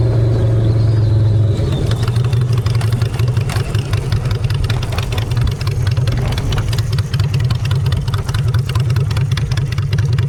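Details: Honda Shadow V-twin after a custom makeover with custom exhaust, in neutral: a deep, even burble with clean pulses and no knocks or misses. Normal idle and revving.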